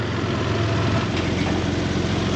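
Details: Toyota 4Runner 3.0 V6 after head gaskets, valve adjustment, timing belt and front main seal, idling while the headlight is refitted. Steady, even low idle with no knocks, misses or hunting: healthy.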